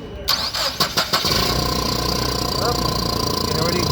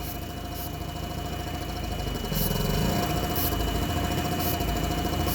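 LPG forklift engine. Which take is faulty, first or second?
second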